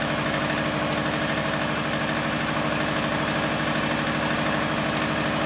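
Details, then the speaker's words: Subaru engine at idle: fast steady tapping about three per second; owner suspects early-onset rod knock, plans Lucas oil stabilizer, not confirmed. "But yeah, that sounds very early rod knock to me."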